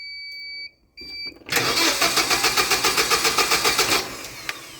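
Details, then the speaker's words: Hyundai 25L forklift with e-controls fuel system, hard-start complaint: key-on beeps, then about 2.5 seconds of even cranking without firing after pausing at key-on; power relay times out and ECM fails to re-control it. "So, it's not a true hard start. What's actually happening is with the e-controls fuel system, there is a power relay that will time out after a couple of seconds."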